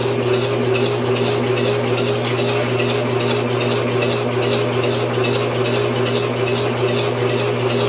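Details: Homemade upside-down engine on propane fuel, first test cranked by starter motor; slow steady chuffs over constant starter hum, never fires; cranks but won't start, ignition timing issues suspected.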